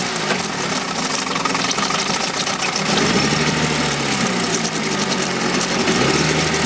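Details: 1971 Mercury outboard (listed as 7.5, also called 72 horse) revived after coil work; cover on, even quick popping idle settling slightly lower, being run out of fuel; runs clean.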